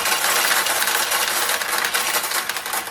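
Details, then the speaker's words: Restored Nishijin Single Shot Conversion vintage pachinko machine, likely late 1960s or early 1970s: dense, uneven rattle of balls tumbling down for seconds as the low tray refills by weight-shift gate; normal refill feed, designed this way. "allow more balls to go down in. So if you're playing and you hear this noise, don't worry about it. The machine's not falling apart. It's just the way that it's designed to work."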